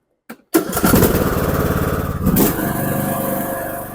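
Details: Craftsman T1400 riding mower, after gas-in-oil from a leaking carburetor was fixed, hood on, about to be run 20–25 minutes to seal head gasket; catches on first pull and runs steady and even, no misfires or knocking. Normal running.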